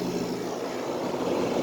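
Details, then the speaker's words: Normal compressor running on a 5,000 BTU Fedders window air conditioner with mechanical controls, likely early 2000s. It has run a few minutes on high cool, the air is ice cold, and there is a smooth, even mid-pitched hum with no knocking or cycling. "It's been running for a few minutes now on high cool. It's pumping out ice cubes in the compressor. This has a really nice sounding compressor."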